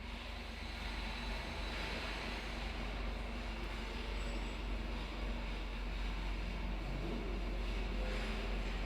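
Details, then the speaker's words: Radiator cooling fan on a Ford, commanded on through a ThinkDiag scan tool fan-control actuation test with the engine off, then stopped: steady, even airy roar with no ticking or wobble, slowing down after stop; normal cooling fan running. "oh yeah it's running stop now it's slowing down"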